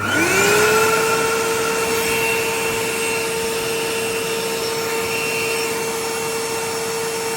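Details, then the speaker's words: 1980s Hitachi 790 bagless cylinder vacuum after full strip, clean and motor bearing lubrication: steady high motor whine settling after spin-up with slightly uneven, gritty edge; still rough, though better than before. "let's have a listen no this isn't going to be the most amazing vacuum sound [Applause] but i think with a bit of a use and the lubrication wearing"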